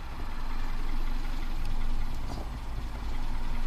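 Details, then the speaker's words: 2015 Kia Soul 1.6 GDI, 152,000 miles, no codes set, short-term fuel trim -25, barely any intake vacuum, throttle gives no response; deep, uneven idle that lopes, stumbles and nearly dies. Rough misfiring idle, cause unconfirmed. "Barely any vacuum in the intake manifold. It's running really rough. And, oh, it can barely keep running."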